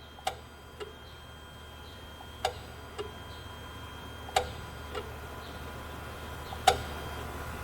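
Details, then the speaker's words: Dodge Sprinter that loses power and cannot exceed 40 mph, EGR valve commanded on and off, wiring good: sharp single clicks at uneven gaps about every two seconds over a faint hum; EGR valve clicking, sticking suspected, not confirmed. "I don't like the way this valve is clicking so it could be sticking okay so the EGR valve wiring is good okay so the way this valve is making noise it sounds like it could be sticking"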